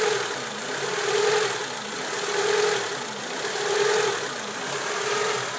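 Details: 1995 Honda Civic DX, warm engine at idle: idle rises and falls about every 1.5 seconds, a slow steady hunt; IACV checked first, but the real cause was a misadjusted cold fast idle valve, fixed by readjusting it.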